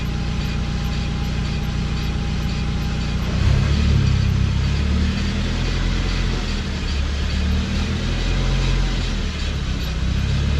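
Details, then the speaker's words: 2012 Suzuki SX4 AWD with CVT on jack stands, wheels driven at stepped-up speeds: deep, rough driveline buzz that swells with speed as the rear differential nose visibly shakes, from a seized propeller shaft U-joint. "The nose of that differential is moving big time. Watch the rear diff there. It's incredible how the cameras don't pick it out. It's buzzing like a bastard."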